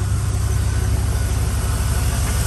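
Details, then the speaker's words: 2001 Chevy Silverado 1500 5.3 V8 after repair: steady deep even idle, exhaust tick quieted; previously misfiring and lean on both banks, caused by cracked EGR tube. "Oh, and that tick quiets down too. Heck yeah."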